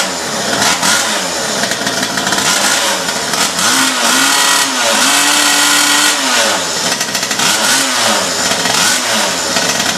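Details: 47cc two-stroke pocket bike rebuilt with parts-bike components, on 25:1 fuel mix: crisp buzz rising and falling cleanly through repeated throttle blips, no misses or bogging; runs strong.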